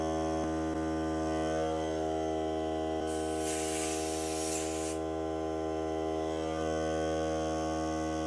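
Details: Hart cordless air compressor during break-in run on a fully charged battery (30 minutes or until the battery dies), pressure around 30; even electric drone, steady pitch, short hiss of air midway, no leaks heard, normal running.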